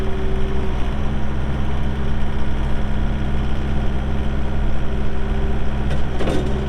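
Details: 2018 Takeuchi TL8 skid steer with 1,594 hours: steady low diesel drone at even idle, smooth and unchanging with no knocks or misses; engine sounds healthy and settled.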